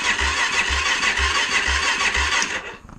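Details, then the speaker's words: Suzuki LTZ 400 ATV with new battery replacing weak one, no fuel tank fitted so it won't fire; strong even cranking about two compression pulses a second without slowing, normal cranking, battery issue cured. "of course no fuel tank no fuel so it's not going to fire up and I just want to make sure here"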